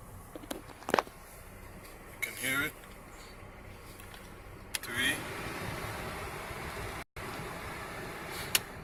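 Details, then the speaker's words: 2000 Saab 9-3 heater blower after replacing the blower motor resistor (previously only worked on speed 4): fan rush rises in steps through speeds 1–4 and holds steady at each; working on all speeds. "Before it was just working on 4, and of course swapped it out, and now we're good to go."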